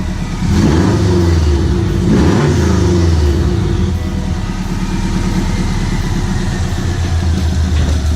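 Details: Subaru WRX STI build, first start with the engine warm: clean blips from idle rising and falling smoothly, no misfire, knock or rattle, healthy throttle response.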